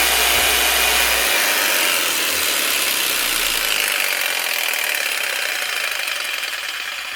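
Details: Older Makita 4300BV jigsaw, basic up-and-down stroke with variable-speed switch, after guide wheel repair: fast, even buzzing rattle of blade stroke, easing slightly as speed drops; runs smoothly and healthy.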